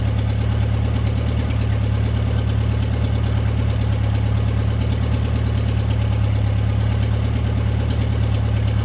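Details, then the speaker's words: MG's first start in 22 years, restored from the woods: engine catches without choke and settles into a steady even idle, a smooth low drone with no misses or knocks; runs fine. "Huh? It starts without a choke."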